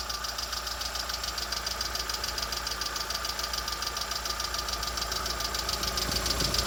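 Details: Lada Vesta SW Cross, 1.6 engine, 106 hp, at idle: a steady, regular tapping at about 200 per minute over a smooth idle; the engine knocks, and the source is not yet found.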